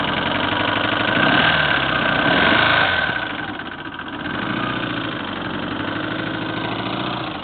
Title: 1984 GL1200 Knocking sound